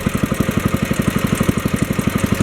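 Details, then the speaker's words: 1964 Wheel Horse 704 Kohler single-cylinder after fixing rod knock from worn rod and crankshaft (crank still 0.002 in out of round): steady idle, even pulses, light lifter tapping, belt flapping against guard, no rod noise; normal idle. "now i can hear the lifters tapping and i can hear the belt flapping against the belt guard that sounds like normal"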